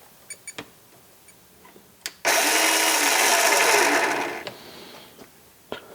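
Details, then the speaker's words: Makita XMU04 cordless grass shear at free speed through its potted controller, about 5.1 A inrush then 0.3–0.8 A: short burst of high whirring, speed not steady, winding down; motor surging. "about 5.1 amps in Rush current and during normal operation it shows below 1 amp so 0.3 to 0.8 it changes because again the motor is surging and right now we're just running a free speed"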